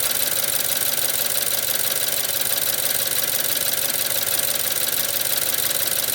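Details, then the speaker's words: 2014 BMW 320i (F30, N20) warm idle with a drivetrain malfunction warning, turbo boost shut off: a light tinny metallic rattle about three times a second from the faulty electronic wastegate. "Now it's warming up and starting to rattle less. And with the drivetrain malfunction, since the turbo has electronic wastegate control, the computer just shuts off the turbo because it knows something's wrong with the wastegate."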